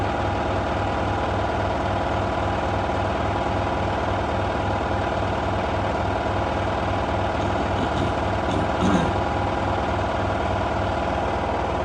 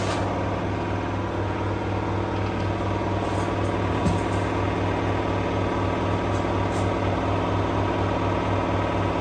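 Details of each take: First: LG F1222TD washing machine at full-speed final spin: steady high drone with a fast, even pulsing rattle from a loose clasp shaking against the washer, owner planning to remove it. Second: LG washing machine F1222TD full speed final spin with a view of the dryer to be fixed 🤨🤨🤨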